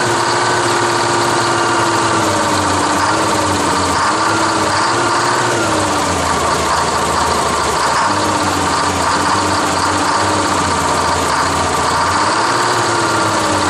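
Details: 1968 GMC water truck, Detroit Diesel 6-71, cold first start of the season after sitting on a grade with too little fuel: steady gruff drone, slightly wavering pitch, running on starting fluid at full throttle while the fuel system purges air.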